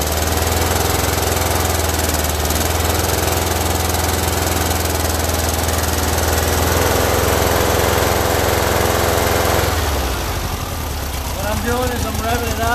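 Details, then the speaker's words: Freshly built air-cooled Volkswagen flat-four on first start-up, with oil pressure confirmed: loud uneven loping beat near 3.5 per second and a stumbling note; the carburetors are badly out of adjustment and need tuning. "what I would do at this particular point now is start tuning the Carver's as you can hear by the way it's running that it's that they're way off"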